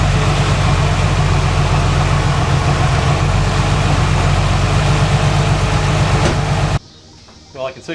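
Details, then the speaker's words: 1990 Jeep Cherokee running after a power steering pump replacement, once the belt was re-tensioned and fluid added; an even, steady low idle with a smooth regular beat, no knocks, squeals or funny noises until shutdown. Normal idle. "the first time in a long time that this thing is running a tip-top shape now so I'm making any funny noises"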